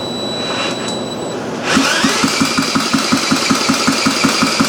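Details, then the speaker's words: Briggs & Stratton Model A engine, carburetor untouched, fresh gas added, spun with a drill: even compression puffs about 160 per minute but never catches and runs on its own. "Sounds like it wants to. Let me put a little more gas in her."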